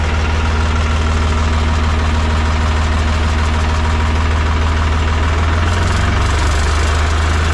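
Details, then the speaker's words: Mahindra 3525 diesel tractor at 18-19°F, after four or five minutes running following a cold start with booster pack; steady, even diesel chug at idle with regular beat and no misses: smoothed-out normal idle. "a y sound like it run a little bit better now it took at least I don't know four or 5 minutes before it kind of smooth out out there see like it's running a lot better now"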